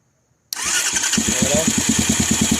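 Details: 200cc Chinese dirt bike (fake KTM) after bending the start button contacts closer: starter cranks briefly, the engine catches and settles straight into a steady, even idle with a quick regular pulse; normal electric start and idle.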